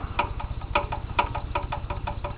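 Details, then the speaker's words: Warmed-up engine idling with throttle closed: light, sharp tick about five times a second over a steady low rumble. Owner says it's not cylinder knock (piston rod has no play) and suspects side-to-side camshaft play clunking the angled gears; idle knock, cause unconfirmed. "yeah you can hear it there it's not cylinder knock cuz I uh I opened the cylinder the one day and checked the uh piston rod for play the Piston Rod has no play"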